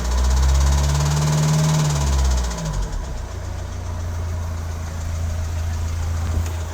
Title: VW TRANSPORTER T6 - CXHA engine for a VW Transporter 2.0 TDI Euro 6, 150 PS strange noise 2